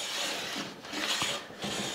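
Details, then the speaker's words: Brand-new Quangsheng No. 5 1/2 jack plane after tuning, taking a wispy-thin shaving on maple: clean, steady hiss along the board with no buzzing or stutter; smooth cut, no chatter or vibration. "you can hear there's no chatter there's no vibration it's just nice and smooth"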